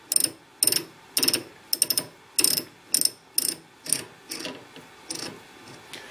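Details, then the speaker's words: Leinen LZ4S lathe collet holder: crisp ratchet clicks in short bursts, about two a second, as the drawbar is backed out; the clicking mechanism works fine. "I'm going to back my drawbar out you can hear the clicking mechanism work just fine"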